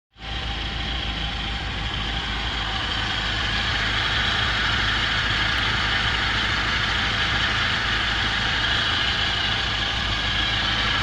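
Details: Ford Transit 2.0 OHC running on gas after engine rebuild, Ford Sierra pistons raising compression to about 10–10.5: steady even idle with smooth hiss, no knocks, ticks or misses; healthy.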